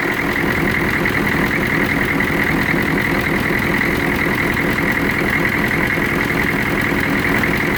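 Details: 1993 Chevrolet CK2500 6.2 diesel; loud, coarse idle with an uneven, lumpy pulse and buzzy rattle on top: rough idle with vibration.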